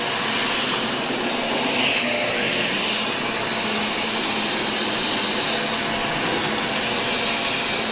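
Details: Shark Rotator vacuum after clearing debris from brush roll: smooth, even high-pitched motor whir with airy rush, no rattles or labouring; repaired and running normally.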